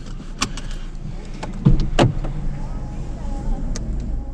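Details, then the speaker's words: Hyundai Elantra (2018/2019 stated) test drive after front brake pad replacement: steady low rumble rolling slowly, a few cabin clunks, no squeal, scrape or grinding; comes to a good straight stop, brakes quiet and normal. "Sounds beautiful. don't hear no squeaking. Comes to a good stop, vehicle stays straight."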